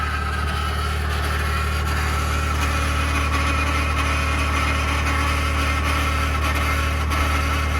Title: 2021 Ford F150 Powerboost Cold start Cavitating/Grinding Noise - November 6, 2022